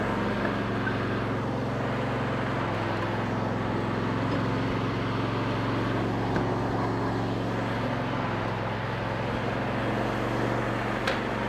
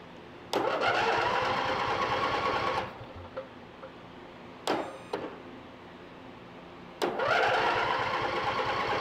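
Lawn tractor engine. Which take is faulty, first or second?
second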